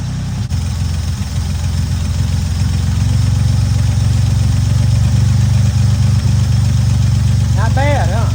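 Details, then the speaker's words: Barn-find classic car first started after 33 years sitting; steady, even low idle rumble with no knocks or ticking, 50 lb oil pressure, sounds good; fuel pump line leaking and heater core bad. "It does have a 50 lb oil pressure and it sounds good. Doesn't look that good, but it sounds good."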